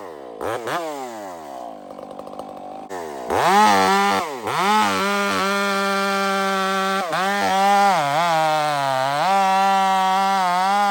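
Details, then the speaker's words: Stock chainsaw with aftermarket muffler fitted, cutting; high, wavering note sags and recovers unevenly in the cut with a burbling, blubbery edge; running fat, rich mixture. "I just want to rip a couple pieces off this this stock saw is running fat right now and I put that muffler on"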